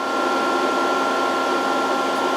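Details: VFD cooling fan running normally while reforming long-idle capacitors; input ramped from about 110 toward 130 V, lamp glowing as capacitors charge, drive in under-voltage. Constant airy whir with a steady high-pitched tone, no rattle or speed wobble.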